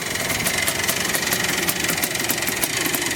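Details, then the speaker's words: 1984 Yamaha IT490, slightly tired and just revived: steady idle with a light, regular tick about every fifth of a second; bottom end sounds loose and has always sounded like that, owner unsure whether it needs a rebuild. "Bottom end sounds a little loose though. It's always sounded like that. I don't know if that's just normal or if that bottom end needs to be rebuilt,"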